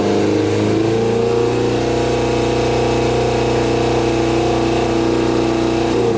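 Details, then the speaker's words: Custom Yamaha Banshee with Suzuki Katana 600cc engine, before Stage 4 rejet, pod filters on: loud raspy drone, steady but ragged pitch, rough uneven running; poor jetting. "so see how bogs out that's from running too rich so my hands over the carburetor and uh it's not getting enough air"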